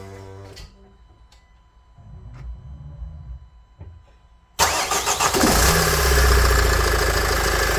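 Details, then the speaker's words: Nissan X-Trail 2.0 dCi diesel after replacing accessory belt, tensioner and idler pulley to cure a startup squeal: cranks, catches quickly, smooth even idle with no belt squeal. "Et là, on va essayer de démarrer. On va voir s'il y a toujours le bruit. On croise les doigts."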